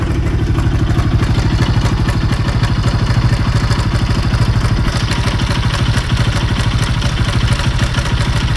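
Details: Bajaj Pulsar NS200 BS6 single-cylinder motorcycle at idle: rapid, fairly regular clatter about three beats per second over the exhaust thump; abnormal engine noise, source undetermined.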